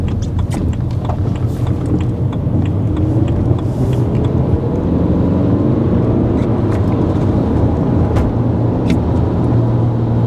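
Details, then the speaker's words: BMW E90 320d diesel before turbo replacement: heavy constant low drone that swells as it pulls, attributed to turbo drone; turbo to be replaced. "what I'm going to do is just show you what it's like before because it really does drone and it's it sounds horrific you hear that that sort of noise that is the turbo drone in"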